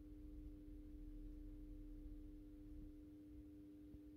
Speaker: you can hear the ballast is humming a little bit